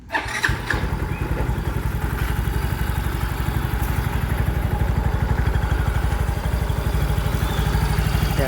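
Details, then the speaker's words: Yamaha Mio i 125 with GRacing 5.6 cam and 500cc starter, after hard starting fixed by readjusting the disturbed TPS voltage: catches on one press and settles straight into a steady, even idle with a smooth low beat. Normal start. "Kaya pala nag-hard starting, nagalaw yung TPS voltage, mga unang sigpit yung TPS. Pero ngayon okay na."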